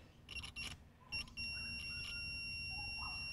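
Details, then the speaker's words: Multimeter continuity beep testing the John Deere 1640 MFWD front-wheel-assist solenoid coil (tractor stuck in 4WD), meter earthed to a bolt and touched to the wire terminal; short chirps then steady beep: coil windings good. "you can hear that that we have continuity so if we touch this terminal here so the terminal that this wire would go on to and we touch that there we go we have that audio visual signal so what's that tell us well that tells us that this coil the windings through the coil are good"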